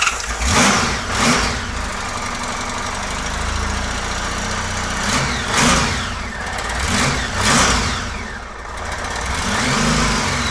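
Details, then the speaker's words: 1999 Honda Valkyrie Interstate flat-six, sat unrun for years, idle badly off adjustment: uneven, lumpy idle with surging revs and an irregular stumble; possibly not running on all six, fuel leak found at right-bank carburettor fuel tee. "I don't think it's running on all six either"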